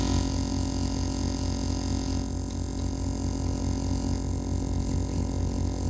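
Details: Opel Astra H with a CD30 MP3 head unit and no music playing. A steady low droning hum with a faint pulsing buzz comes from the loudspeakers, which is unwanted noise from the audio system.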